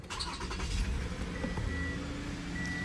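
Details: 2015 Toyota Camry no-start after the faulty new aftermarket ignition coil was addressed. A short crank catches quickly and settles into a steady, even idle with no misfire, so it starts and runs normally.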